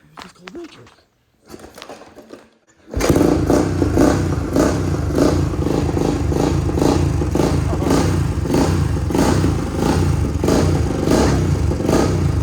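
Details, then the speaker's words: 1979 Honda XL500S single-cylinder, abandoned 15 years, kick-started: catches and thumps along unevenly with loose, wandering beats, running rough and rich. No blue smoke or knocking; owner thinks it needs a good carb clean, plus a tank clean or inline fuel filters. "basically all it needs from the sound of it is a good carb clean which we'll address later on"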